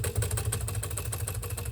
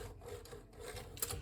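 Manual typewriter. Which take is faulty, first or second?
second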